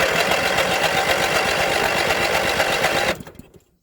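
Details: 1981 Westwood Gazelle W11 ride-on mower, compression test at full throttle, no choke: starter cranks briskly about four beats a second with little drag; low compression, about 60 psi up from 40, piston ring blow-by.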